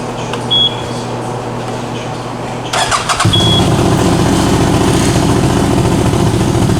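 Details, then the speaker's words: 2021 CFMOTO CForce 800 after the clutch bearing and shifter fix: the engine cranks, catches and settles into a steady idle with no grinding or chatter. The secondary clutch now stays still at idle as intended. "yeah that's supposed to sit still that's how it's supposed to work right there everything's fixed now"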